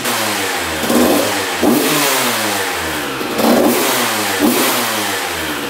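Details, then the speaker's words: 1993 Honda CR125 two-stroke dirt bike on its first start after a shift fork repair, choked and then idling: crisp, clean revving blips with no knock or rattle; it sounds healthy, though the carburetor has not been cleaned. "all right let's try to get this thing to idle idle all right she's idling sounds pretty good"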